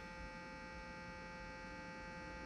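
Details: 1968 Sears Silvertone console stereo: a constant low buzzing hum; one channel's output is half the other's, and the owner suspects the output transistors or the output capacitors, not confirmed.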